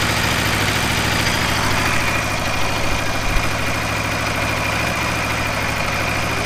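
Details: 2015–2017 Aprilia RSV4 at first service oil change, idling after start: even, steady idle with a firm low beat, no misses or tapping; engine runs smooth and healthy.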